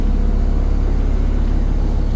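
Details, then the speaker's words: Mopar V10 dually truck after throttle body cleaning and air filter replacement, once the post-cleaning misfire cleared: deep, even, low idle rumble with no stumbles or missed beats; smooth idle. "Oh yeah, that sounded a lot better. Lots better."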